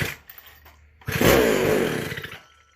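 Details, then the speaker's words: McCulloch SP125 chainsaw, decompression in, first start: fires and revs about a second on primed fuel then dies; cause was a gap between carburetor and intake (air leak). "That's healthy. Promising. That was just off the squirt fuel."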